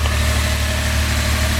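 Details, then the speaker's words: Truck at normal idle with no oil blow-by: a steady low hum with an even pulse and no ticking or misses, a smooth healthy engine running really good. "Steer it running really good. Just kind of hums along."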